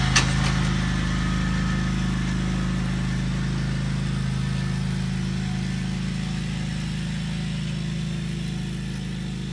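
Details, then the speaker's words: Scag 48-inch mower just after a basic oil change, running much better than before: steady, even low drone with no knocks or misses; normal running. "all right guys we're gonna fire it up let's see what happens [Music] oh my god it sounds so much better"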